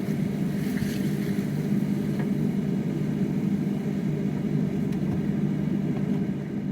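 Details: Car with a completely dead battery, started using a jump starter in boost mode: the engine catches and settles into a steady, even rumble with no misses or knocks; starts and idles fine.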